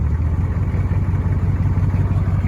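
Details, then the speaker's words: 1984 Chevrolet K10 Silverado Stepside short bed, rare Canadian truck, revved; deep steady rumble with even low pulses, no knock or miss, doesn't sound bad, normal running. "Doesn't sound bad."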